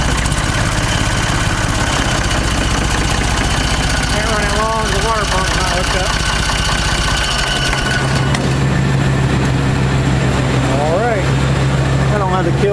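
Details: Ford 3600 diesel tractor after the second CAV injection pump rebuild, first started with a little ether and the alternator belt loose: steady, even diesel clatter at idle, firing regularly with no stumbles or misses; runs properly.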